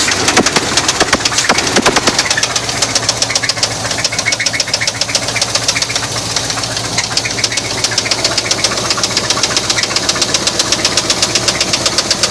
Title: 1981 Chevy c10 Truck Spun Bearing